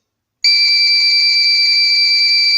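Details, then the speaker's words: VW Polo 6N2 with ignition switch bypassed by an installed keyless start/stop button module: a steady high tone near 4 kHz for about two seconds, then cutoff, as the module switches off after its inactivity timeout. "yeah it remains active for 50 seconds and then it turns off"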